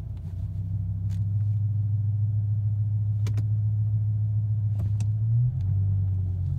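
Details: BMW M5 E60: low steady idle rumble that sags and wavers near the end, almost stalling after a minute of idling and slow driving forward and back; unstable idle, idle actuator suspected, not confirmed.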